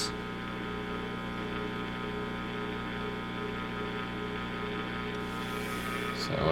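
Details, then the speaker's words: Recapped G.E. Model 56 tube radio on a variac, powering up past about 40 mA: a steady, fixed-pitch low hum that only shows with the volume up. Suspected heater-to-cathode leak, not confirmed. Mains hum in the audio. "so 40 milliamp ears there we go we got a little bit of a hum i had hmm got all new caps in here i wonder if we have a heater to cathode leak"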